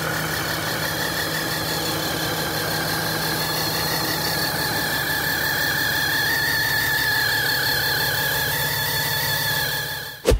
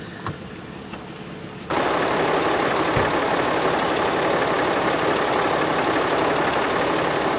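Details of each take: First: RAM 3500 diesel after a shop repair of a warped exhaust manifold, with missing gaskets and loose bolts; leak got worse after one DIY reassembly: idle with a rough puffing tick about twice a second. Exhaust manifold leak. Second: RAM 3500 diesel, first start after DIY exhaust manifold repair after exhaust bolts fell out: catches and settles straight into a steady, even idle with no knocks or misses. Normal idle.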